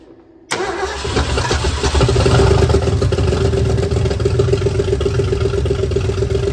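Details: 1976 Ford Bronco Sport parked 30 years, after ignition repair, choked and fed extra fuel: engine fires abruptly and runs loud with an uneven, lumpy pulse that never settles; running rough, oil pressure gauge hose then leaked.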